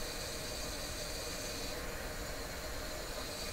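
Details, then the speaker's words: Sparton 1567 console tube radio tuned to 680, being investigated for audio distortion. A continuous hissing, sizzling frying crackle comes from the speaker over the station; owner suspects vibrating tube elements, not confirmed. "you can hear that frying sound the game did you know it sounds like it sounds to me like the elements in a tube are vibrating"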